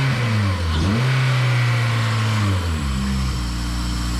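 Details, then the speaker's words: Honda EM2 with K-series swap, first start after exhaust work: revs sit high and swing instead of settling; the owner calls it K-series high idle and thinks the loose battery may be holding the throttle cable open, not confirmed. "definitely sounds like a vibrant it's got that K series high idle but we'll take that we'll take that"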